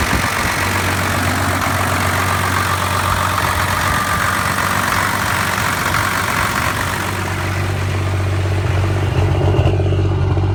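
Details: 1993 Cummins diesel pickup idling rough and stuttering, lacking power despite clean fuel and Stanadyne treatment: uneven, lumpy beat with occasional stumbles; owner suspects the lift pump, injection pump or overflow restriction screw.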